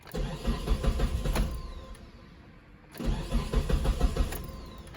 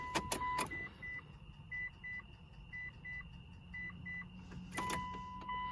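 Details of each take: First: 2006 Mitsubishi Eclipse GS (4G69): fuel pump module connector unplugged and engine cranked until it died to release fuel pressure before pump replacement; two bursts of rhythmic starter cranking with a pause, engine never catches: cranks, no start, no fuel pressure. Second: 2006 Mitsubishi Eclipse GS (4G69) just after fuel pump replacement, key-on prime before cranking: chimes with a brief low electric hum from the tank that stops after a couple of seconds; the new pump primes normally.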